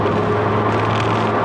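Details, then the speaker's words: Ford Focus RS Mk2 with 400 hp package, first road test after repair: steady, muted engine drone under road noise, no knocks, bangs or rattles; engine sounds good, gearbox works. "Good so far. No knocks and bands, no pulling. Engine sounds good, gearbox works."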